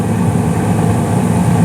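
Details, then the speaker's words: 2016 Carrier single-stage on/off furnace, five years old, no leaks, higher blower speed: even steady low rumble, no knocks, rattles or squeals; normal furnace operation. "it's a nice single stage on off furnace which i'm very happy about yeah it's been good there's been no leaks um everything's been everything's running good for five years now so very happy about that"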